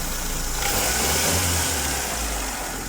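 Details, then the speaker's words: Mitsubishi Lancer "Pizza Pie", 4G13A carburetor engine, after a switch from premium to unleaded fuel. It had no idle and died on start, fixed by working the choke while running. Now warm with the radiator fan on: steady low idle with no misses, smooth. "Naabit na yung kanyang tamang init. Makina nag-automatic na yung ating pan. Ayos na to."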